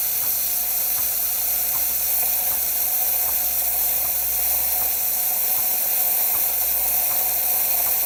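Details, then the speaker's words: Quick Mill 820 Vintage espresso machine after full tune-up: steam wand open, steady steam hiss with the pump clicking evenly about every three-quarters of a second forcing water through the thermoblock; normal operation. "so you can hear the pump clicking nester overheating the thermic wok and forcing water through it"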